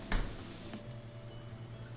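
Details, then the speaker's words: Dishwasher draining normally with steady watery gurgling rumble through the air gap after a clog (a toothpick with debris built around it) was removed from the air gap. "there we go yeah that's how it's supposed to sound you hear that gurgling good deal"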